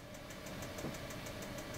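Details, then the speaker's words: 2017 R-Pod 179 RV propane stove on a first lighting attempt: fast, even igniter clicking about five a second over a low hum without lighting; air in the lines is suspected, and it may have caught after further tries. "it'll try three times and if it doesn't light there'll be a warning light that comes on you're gonna need to try it again to get the air through the lines again I heard it click so apparently didn't light the first time"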